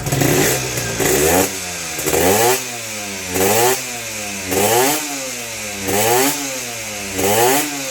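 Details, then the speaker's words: 1992-registered (BE 2535) Yamaha VR two-stroke motorcycle, quiet at idle. Blipped about once a second, it rattles on each rise in revs. The seller is unsure whether it is the piston rings or the connecting-rod bearing, and it is unrepaired. "เดินเบานี่เงียบอยู่แต่พอเปิ้ลปุ๊บมันจะมีเสียงนะครับครับเสียงนี้ผมไม่แน่ใจว่าเป็นลูกแหวนหรือลูกปืนไตก้านนะครับ"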